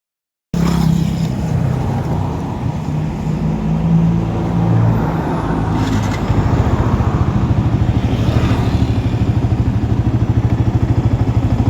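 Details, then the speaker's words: Old Yamaha R15 (Exciter engine) that stumbled and ran rich from an aftermarket injector, refitted with the stock exhaust; earlier idle was about 1,000–1,100 rpm versus 1,700–1,800 spec. Now a steady, even fast putter with no lumpy beat: normal idle. "นี่คือรอบเครื่องปกติอันนี้คือรอบเครื่องปกตินะประมาณนี้"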